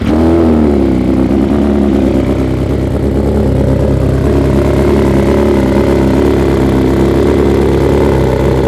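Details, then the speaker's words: 2021 BMW S 1000 RR outdoors, first start since fitting Akrapovic titanium headers, SC Project carbon canister and Samco hoses, no tune flashed: fires straight up, a blip or two, then a crisp steady idle with loud exhaust; runs normally. "behaves itself pretty well actually yeah without a tune yeah sounds good yes it does"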